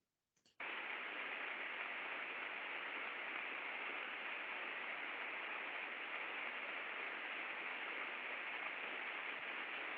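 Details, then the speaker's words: Ultrasound sensor on the non-drive-end bearing of a slow-speed machine (the healthy side): a smooth, even hiss with no crackle, clicks or bursts. This is a normal bearing sound. "é Rafael agora vamos ouvir o ultrassom do lado que não tem problema"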